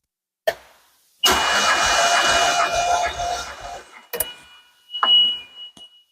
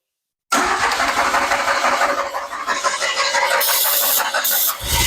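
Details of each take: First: 1981 DeLorean, 4,690 miles, sitting 27 years, during compression test (roughly 140-170 psi across six cylinders): even starter whir for about three seconds with steady cranking rhythm; normal cranking. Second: 1981 DeLorean, 4,690 miles, revived after sitting 27 years: starter spins engine steadily with only a faint cough or two, never catches; some spark present, no start. Cause not yet found.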